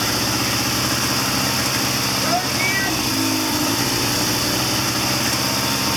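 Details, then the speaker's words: 1979 Triumph Bonneville T140D Special after freeing a seized clutch: loud, steady twin idle with an even beat, no misses or surges; runs normally. "There it is. Mission accomplished. She runs."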